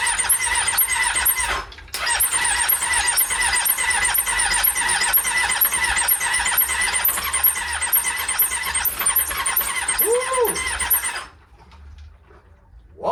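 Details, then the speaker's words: Triumph Daytona 600 that sat outside for years with water pouring from the exhaust, starter solenoid jumped: the starter churns about two compression beats per second for ten seconds but it never fires. Cranking no-start; weak valve springs losing compression are suspected. "they came with weak valve springs. So if you let them sit for too long, they lost compression, wouldn't start."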